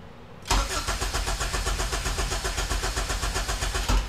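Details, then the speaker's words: Honda EK hatchback with K24Z swap after long storage, first start attempt: starter spins engine with even quick chug for about 3.5 seconds but never catches; cranks, no start, no fuel, a jumper suspected, not confirmed. "oh one more try there's no fuel all right well that just not on it's on not on maybe that was the jumper we needed"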